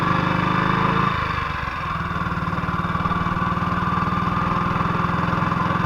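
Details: 1958 BSA C12 single on a road test after its misfire was fixed: an even thump at roughly two or more beats a second with no missed strokes. The battery tested fine at 6.3 V. It sounds like it used to.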